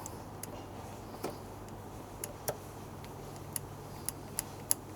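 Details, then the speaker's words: 2002 Aprilia SL1000 Falco V-twin, 3,600 miles, sitting 21 years, cold; start attempt gives low fuel and error. Irregular sharp dry clicks on and off, no fuel pump whir: electrical fault, owner suspects fuses, unconfirmed. "It seemed to be sort of clicking on and off for some reason. Not 100% sure what's going on there. The fuel pump isn't even engaging, which is a bit odd."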